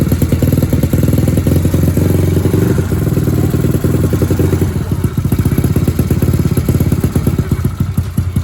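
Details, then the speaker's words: Yamaha Mio single-cylinder scooter idling after broken valve spring repair: steady, even putter with regular beat and no top-end ticking or clatter; sounds okay. "Kita tes hidup ya. Starter gampang. Suaranya oke."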